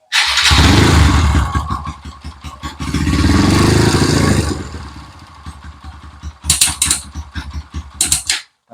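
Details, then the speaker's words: Kawasaki KLX 150 bored up to 175 cc, smoking after trail riding, warmed up and revved: hard bursts with ragged chuffing, rough noise from top end; initial diagnosis suspects cylinder head gasket leak; abnormal noise. "ternyata di bagian atasnya agak bunyi kasar sedikit itu sepertinya untuk diagnosa awal ada kebocoran di bagian packing silinder headnya"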